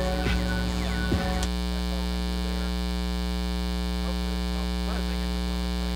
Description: Why the Bad sound? = because of trying to use the a/c adapter to power the camera while recording - induced the 60hz sound into the NEXT Eight video recording's of which I am NOT going to redo